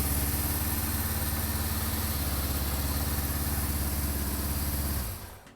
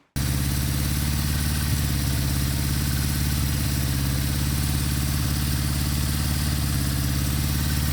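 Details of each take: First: Warmed-up 1974 Honda CB550 four-cylinder before synchronization, with gauge readings all different: a slightly lumpy, uneven idle that ends in shutoff; the carbs pull unequally and need balancing. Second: 1974 Honda CB550 after static timing, cam chain and valve adjustment and carburetor synchronization; steady even low idle with a smooth regular beat, no misses or hunting; normal idle.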